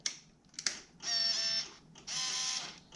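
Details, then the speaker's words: Yamaha V-Max at key-on, engine off, carbs just refitted: two short high whirs of about half a second with light clicks between; V-Boost servo cycling normally. "that noise is the v boost"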